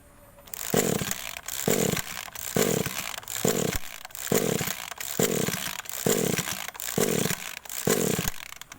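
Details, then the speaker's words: Small two-stroke agricultural sprayer engine (hard starting when cold), coil recently replaced, idling then throttled: harsh rev bursts about once a second sagging toward a stall; rough running and stalling. "Aduh mati ya ini posisi langsam kita coba gas mungkin rpm nya kurang besar sudah mulai rewel ya kita coba"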